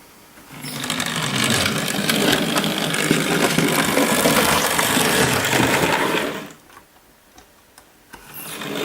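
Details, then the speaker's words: Hornby Dublo LNER tank model locomotive: small electric motor whirs steadily with light, even track clicking for about six seconds, then stops; a quiet, normal run. "not a lot was it really so watch this engine that wasn't a lot of noise either was it"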